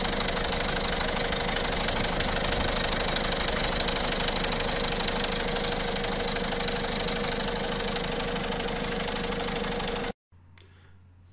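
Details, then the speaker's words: 1.6 HDi diesel at idle: a quick metallic rattle from the timing-chain side that grows louder and fades over a faint whine, attributed to a worn camshaft chain and its tensioners. "الحس هذا يقوى ويتنحى يقوى اقوى من هك يولي ويتنحى"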